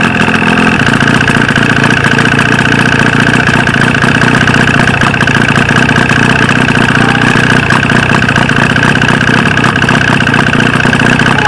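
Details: 1995 Force 40 hp two-stroke outboard with water in the cylinders, after flooding with fuel: loud, rough buzzing run with a ragged, uneven beat; firing on only one of its two cylinders.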